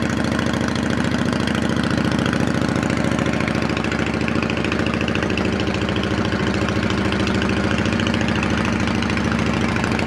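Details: 2008 Yamaha V-Star 650 carbureted V-twin, spring 2014 first start after winter storage with fresh gas and carb cleaner, on choke: steady, even thump about three and a half pulses a second, slightly fast; normal cold idle.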